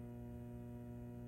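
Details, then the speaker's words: Fender Deville 410 tube guitar amp, power tubes removed, buzz still present: steady low hum with a buzzy edge; mains ripple from leaky B+ plate-supply filter capacitors coupling into the output transformer. "well it's that B+ node there like I was referring to earlier it's the plate Supply and you can see that she's a leaky lady and these caps I tell you what they hung on for dear life"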